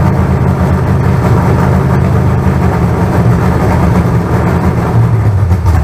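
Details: Fresh carbureted 388 small-block Chevy (heads and intake from the owner's problem 406, crew-cab Chevelle) on first run-in: deep, even V8 rumble, steady beat, no knocks or ticks; about 80 psi oil pressure, no leaks. Normal running.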